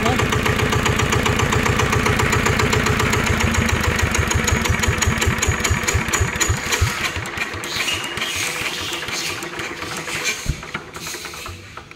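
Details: NF19 water-cooled single-cylinder diesel (original, unmodified): strong, regular thumps that stay even as they slow and space out, no knock, no vibration; normal healthy running.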